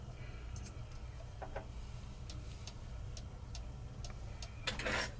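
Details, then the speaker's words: Modern 30-hour cuckoo clock with brand-new replacement movement, on a test stand with weights and pendulum fitted: quiet ticking with uneven gaps between tick and tock; slightly out of beat, corrected by bending the crutch. "little bit out of beat not bad though I'm going to see here I'm going to bend it bend the Crut a little bit bend it the other way that's too far that way"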